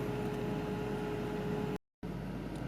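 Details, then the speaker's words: BMW i3 after a new water pump: the front cooling fan runs flat out right after switch-on, a steady whoosh with a constant mid-pitched hum. The drivetrain error is gone; the owner suspects a faulty EDME unit, not confirmed. "well unfortunately that fan at the front's just come on which isn't very good"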